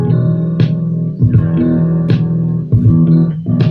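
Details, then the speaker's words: Finished DIY kit-built audio amplifier playing music loudly: output full and clear with no hum at all after assembly and fixes. "Overall, ini pun kalau misalnya udah dimasukin input audio, dibuat setel musik, suaranya udah lumayan, nggak ada suara dengungnya."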